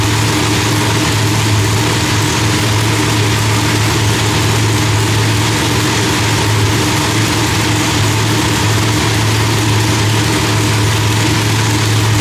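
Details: Loud, deep, steady lumpy idle with no misses, pops or backfires from the big blown V8, after the distributor trigger was corrected from rising to falling to stop fireballs; timing was about 6° off; new heads, idle still being tuned.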